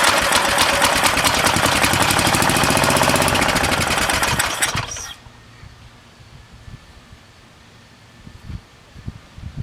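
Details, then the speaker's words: Briggs & Stratton 13.5 cast-iron-sleeve riding mower engine on two-stroke gas, carburetor suspected clogged, bowl bolt loose and leaking fuel: runs at a fast, even, smooth beat about five seconds then shuts off. "It sounds good."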